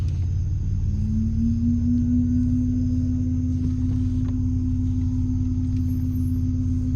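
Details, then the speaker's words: Chevy Blazer: steady low drone with a tone near 200 Hz coming from the rear when brake pedal pressed, stopping when released; brake-applied rear noise, cause unknown. "Right? It starts to make this fucking noise from back there. You hear it, right? And then I let go of the brake. And the fucking noise stops."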